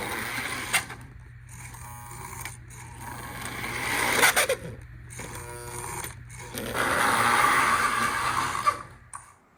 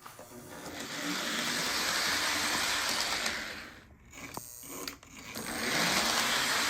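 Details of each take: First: Lionel model train armature motor hums in uneven bursts with a thin shrill squeal; dry armature shaft needing a little oil in the reservoir and a dot on the shaft; motor squeal from dry bearings. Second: Lionel model train armature motor after oiling the reservoir and armature shaft to cure a squeal: smooth even whir and hiss, no squeal, briefly dipping in speed twice.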